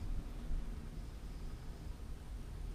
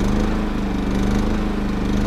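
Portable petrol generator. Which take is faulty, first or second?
first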